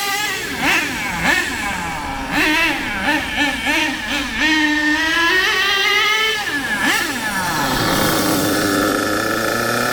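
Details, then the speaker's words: HPI K4.6 nitro engine in a Savage 21 monster truck after low-end and high-end needle tuning, driven at speed but not flat out, fuel running low: sharp high wail climbs cleanly and holds steady with no sputter; well-tuned normal running. "that now personally n now I wouldn't go any further with that low end and I wouldn't go any further with the high end I reckon now that is running M according to what I think"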